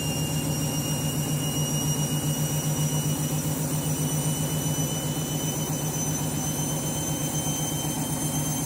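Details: Washing machine final spin after a very sudsy final rinse (possible suds lock, load sensor deciding speed): loud steady roar with fast, fairly even pulsing at about three to four beats a second; the spin is far noisier than normal.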